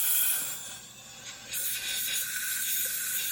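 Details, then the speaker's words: Trailer tire inflation system: continuous high airy hiss from the leaking rotary seal in the wheel hub, where the O-ring seals let air escape. "so there's a rotary thing that's inside there that that uh can leak and that's what's going on i can i can already hear it oh yeah right there"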